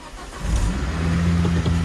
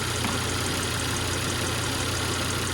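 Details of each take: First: Volvo V70R, right after start as idle settles: steady low droning whine under the idle, a newly developed fault that sounds like a failing power steering pump. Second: Volvo V70R on a road test after the power steering was repaired and bled; smooth, even running with a steady hum and no pump whine, knock or tick, and no leak, so the engine and power steering sound normal.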